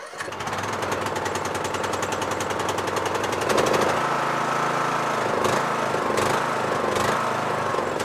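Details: Yard Machines MTD lawn tractor, 20HP Briggs single-cylinder OHV, after magneto bypass for no-spark and oil/filter change: catches immediately and settles into steady, even idle with a few brief throttle dips; runs healthy.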